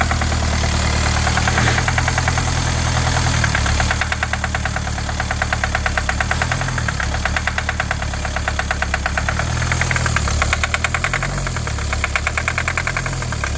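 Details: 2020 Kia Sportage at startup: a sharp, rapid ticking "tak-tak" knock rides over a shaky, uneven idle with engine shudder. The engine is knocking and running rough; the cause is suspected but not confirmed, and the engine was later disassembled.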